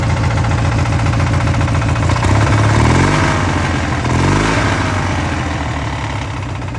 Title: Opposed twin rod knock engine tear down